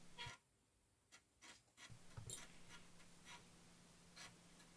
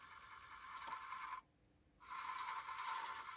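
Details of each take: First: Amiga A500+ floppy drive reading a cover disk after an Agnus chip socket repair. A steady low motor hum with a few short, evenly paced bursts of head-step clicks: the disk is loading normally. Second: Amiga A500+ floppy drive reading an old game disk after repair: harsh, scratchy grinding with a brief quiet gap, then rough seeking resumes; the disk is suspected damaged, not confirmed, since another disk read fine.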